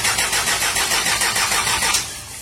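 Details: 2016 Isuzu 4HK1 electronic diesel engine: the starter turns it over with an even, rapid chugging for about two seconds, then it trails off without firing. Cranks but won't start.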